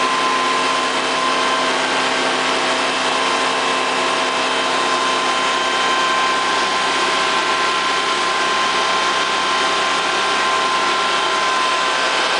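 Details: Honda EV6010 generator test run after a no-start repair: even, steady drone with constant pitch, no misses, knocks or surging. Starts and runs normally.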